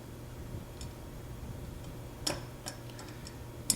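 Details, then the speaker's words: Small gearbox being shimmed, with gear contact checked, turned slowly by hand; light, irregular clicks over a low room hum, possibly from the interverse latch, not confirmed. Clicking in gearbox when turned by hand. "got this in here so all we'll hear is the clicking now i hear that clicking a little bit of the interverse latch"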